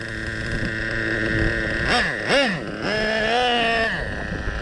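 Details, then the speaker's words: Traxxas Revo 3.3 nitro engine during break-in, idling slightly high after a run as excess fuel burns off, then settling; even buzzing idle with a few clean throttle blips; normal idle, well-tuned carburetor. "So it'll idle a little higher at first and then settle in. Let's listen for it after a run like that. Idling up a bit right now. It's not much. It's not bad at all, actually. It's a pretty well designed carburetor. But now it's settled into the idle."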